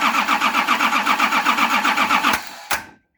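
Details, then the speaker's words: Nissan LD28 diesel engine, injector lines loosened to bleed, with a partly repaired starter, cranks evenly at about four compressions a second but never fires; the injection pump's fuel cut-off solenoid was not energised, blocking fuel flow. "The problem was all along that I hadn't thought about, I hadn't even considered the fuel solenoid. So when you turn the ignition on, the solenoid plunger is drawn in, just like a starter solenoid plunger is drawn in."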